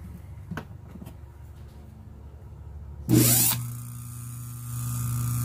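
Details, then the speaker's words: Antique Century repulsion-start induction-run electric motor, quarter horsepower, 1750 rpm, M7 frame, 1914/1915 patents, internally restored with revarnished windings and new bushings: short start-up burst, then steady even low hum, no rattle; runs quiet and smooth. "really runs nice quiet smooth"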